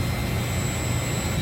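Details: York YK centrifugal water-cooled chiller back online after building management system fault shut it down, remote run relay fix: loud even low roar with steady high tone, no surging or knocking; normal running.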